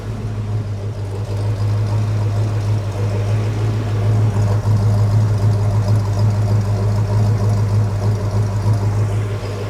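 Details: Mercury Cougar after installing a modified Mustang exhaust kit with turn-down tips removed, idling: deep, mellow, steady rumble with even pulse; one tiny pinhole leak found, otherwise healthy exhaust.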